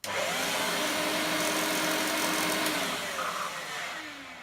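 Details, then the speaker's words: Electrolux Turbo 2 vacuum cleaner, restored unit: motor runs with rough, hissy whine over steady hum, then spins down; motor bearings very dry and need grease. "the motor definitely needs grease in it is very dry you can hear the bearings"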